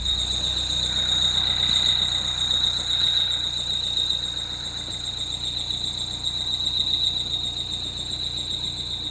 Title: 2013 Peugeot 208 GTi belt squeal